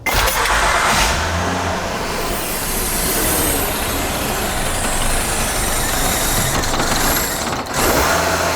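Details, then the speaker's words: 2012 Honda Odyssey J-series V6, first start after the VCM spool valve oil leak repair, engine cover off: engine catches and settles with a loud steady hiss over idle, a giant vacuum leak. "Ah, giant vacuum leak. Fix that. So, listen for hissing noises. If you hear a big one, look for a vacuum leak."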